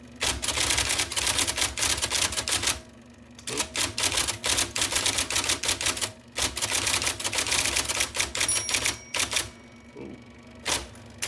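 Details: 1979 IBM Selectric II (non-correcting), revived after fixing a miswired plug and cleaning and lubricating: crisp, firm bursts of rapid, consistent type strikes separated by short pauses; normal typing.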